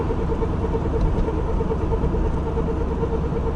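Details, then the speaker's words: Car driving at night in cold weather: steady low droning hum with a faint even tone on top, with vibration; it fades when turning slightly right and comes and goes over long distances. Bearing-type hum suspected, not confirmed. "Гул был сильный, была вибрация, и я боялся, что не доедут до дому."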